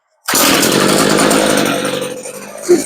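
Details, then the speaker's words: Homelite curved-shaft trimmer, revived after sitting with fuel, started for carb high-side (H screw) adjustment; steady, even two-stroke idle with no misses or surging, so the L (idle) screw is left alone. "now she's idling okay so we won't touch the L screw"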